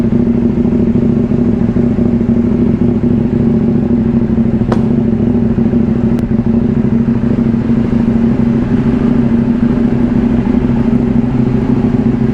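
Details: KTM Duke 790, about two years old, just after fitting a new Crank 1 AGM battery (12.4 V) and starting on one touch: smooth, even twin-cylinder idle with a steady low drone, no misses or clatter, engine warm; normal idle.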